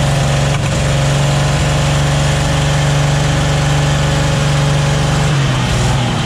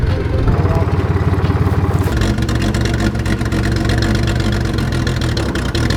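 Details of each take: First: 1944 Chevy Blitz WW2 army truck, restarted after its first start in 30 years and a radiator fill: the petrol engine settles into a steady, even idle with a low firm beat and no knocks or misses. Healthy normal idle. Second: 1944 Chevy Blitz WW2 army truck, unused for about 30 years: loud, rough, uneven running with irregular chuffs that falters after two seconds and splutters out from running out of petrol.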